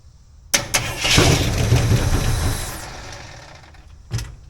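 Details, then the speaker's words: Jeep engine being revived, choke on: catches with a rush, tries to settle into idle, then sags and stumbles away within a couple of seconds without holding, apparently running out of fuel; no knocks heard. "like that oh was trying to idle let me take my choke out a minute"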